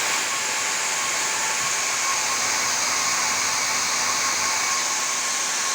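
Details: Worn old motor from a professional hair dryer after several years of use, run on the bench: steady high, hissy whir with a rough, gritty edge; a brushed motor with a worn, grooved commutator and brushes.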